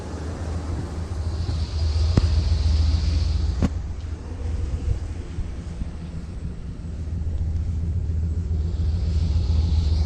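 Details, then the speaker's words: 1979 Ford Pathfinder Quadravan 4x4 V8 after repair work, no leaks, still awaiting tune-up and vacuum-leak fixes: steady, deep idle burble with a slight occasional swell and no tapping or knocking; idles healthy. "That sounds pretty good. I like it a lot. Sounds real good."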